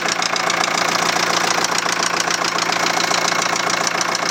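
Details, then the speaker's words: 2001 VW Transporter T4 1.9 TDI, rocker cover off: sharp regular metallic knock at idle, three or four a second over diesel clatter; first suspected dropped valve, teardown found big end bearing surfaces almost gone, main bearings likely worn too. "um considering that bearing surface is almost gone on the big ends themselves so I'll just check it for end float and a few bits and pieces but I'd imagined a big end are the main bearings are probably pretty well worn as well"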